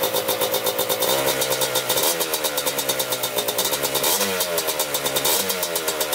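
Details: 1987 Kawasaki Tecate 4 250cc two-stroke quad, freshly rebuilt, first start: crisp, even idle with short throttle blips rising and settling cleanly, no misfires or rattles; normal idle.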